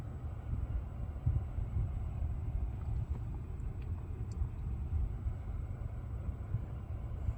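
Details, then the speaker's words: Lucid electric car driving after a logo reset stopped a buzzing noise that profile switching and an earlier reset had not. Low, steady road rumble with no buzz or whine; quiet and normal, cause unknown. "Yep, the noise went away. I have no idea why it came."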